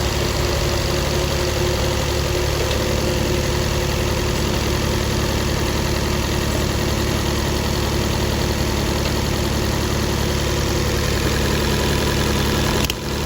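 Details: 2018 Fiat 500 after diesel was put in the tank and the fuel pump replaced: loud uneven stumbling idle, misfire codes; damaged spark plug debris harmed valves, causing low compression.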